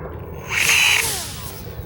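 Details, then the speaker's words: MO-FLY P-51D Mustang micro RC plane on 2S, no landing gear or camera, beginner mode with stabilization: sharp high whine rising on throttle-up, slightly rough and uneven; owner hears cogging, suspects prop mounting, unconfirmed. "I hear a little bit of cogging there. I'm not sure what that is. Could be the um the way the prop is mounted."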